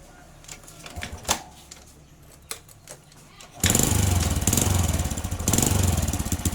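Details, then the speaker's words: Honda Supra-family small single, standard conventional carburetor with air screw set 2.5 turns out: handling clicks, then starts and settles at a fast, busy idle; idle too high, idle screw to be adjusted down. "Nah, ini kalau posisi ini kan semakin RPM tinggi yang gak enak."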